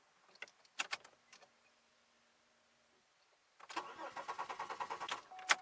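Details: 2002 Chevy Malibu, warmed-up engine with a fuel leak, restart after shutdown: starter churns with quick even pulses about eight a second, then quits without catching; cranks, no start.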